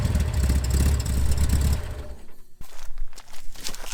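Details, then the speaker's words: Corvair engine that stumbled on rev-up, after going through the valves to a quarter turn: climbs through a rev with an even, steady rumble and no stumble, revving much smoother; smooth rev-up. "right, it's revving up a lot smoother. I'm a lot more happy with that."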